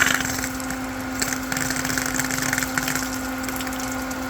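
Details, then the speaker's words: Pool pump restarted after replacing the cracked top on a Pentair Clean and Clear CC150 filter; steady pump hum under crackling, sputtering hiss of trapped air bled out at the relief valve in the filter head; normal air bleed after restart. "See if there's any air in the head here. Blow out some air."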